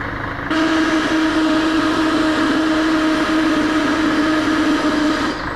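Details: Scania L113CRL bus idling: loud steady hiss with a clear tone near 300 Hz lasting about five seconds, sounds like an air release, cause unknown; recorded on a phone.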